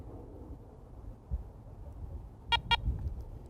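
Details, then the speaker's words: ACE 400 metal detector, power button held about five seconds: two quick high beeps about a fifth of a second apart over a low rumble, reset to factory default coins mode. "when you hear that double beep you'll also notice that it has switched to coins mode which is the factory default setting"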